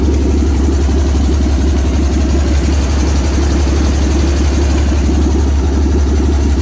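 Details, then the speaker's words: 1955 Dodge M152 command truck, cold start after sitting 15 years, new batteries, fresh fuel via temporary line from tank, fuel pump checked and engine not seized: steady even low rumble with no misses, knocks or surges. "once we made sure that the feeler pump was working and made sure that the engine wasn't ceased we were good to fire it up [Music] with a verb the engine came to life"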